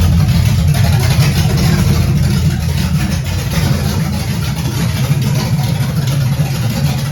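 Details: First start of a 1978 Camaro 383 stroker with Vortec heads, timing bumped about five degrees, throttle not connected: loud, deep V8 rumble at fairly even lopey fast idle, no knocks or misses.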